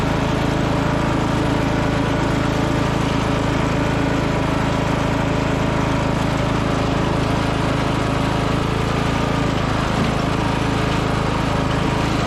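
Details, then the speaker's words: 1996 Craftsman LT1000 lawn tractor single-cylinder engine after new used muffler and new coil, started on jump pack: steady, even drone with no misses, rattles or surging. Normal running. "the jump pack on let's see if we'll start up all right that sounds a lot better"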